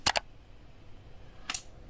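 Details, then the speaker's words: Stereo amplifier with newly installed speaker protector: only a few crisp relay clicks on power-off, no loud thump from the speaker; relay delays speaker connection; relay click on power-off, no speaker thump. "Untuk bunyi ke speakernya, jeduk kencang itu udah nggak ada. Dan hanya bunyi relaynya saja ya."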